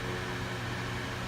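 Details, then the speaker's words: Roof vent fan installed in a bus conversion's existing roof vent on L brackets and switched on, blowing down. Steady low hum with an even rush of air, no rattles or speed wobble. Normal fan running. "I'll take my hat off so you can see how much wind is actually pushing, and it feels really nice."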